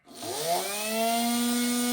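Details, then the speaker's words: Makita 8400D 9.6V cordless hammer drill motor run by bridging the faulty push switch, which had corroded contacts, through a meter, drawing 1.82 A and more under load; smooth spin-up to a steady clean whine with no grinding; normal running. "Oh, that goes even higher when it starts to something. Right, well that's good. Motors works."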